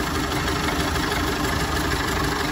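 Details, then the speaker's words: 1930 Ford Model A Tudor Sedan, original 201 cubic inch four-cylinder with three-speed manual, idling under the hood: even, steady idle with a soft regular beat, no knocks or misses, like a sewing machine; runs healthy. "listen to that thing, it sounds like a sewing machine."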